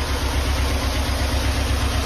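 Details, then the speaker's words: Steady idle with light, quick top-end ticking on a flood-damaged Porsche 968 at first start after long storage, still cold, with good oil pressure; hydraulic lifters are noisy until filled with oil and should calm down. "these hydraulic lifters are still very noisy but they will calm down"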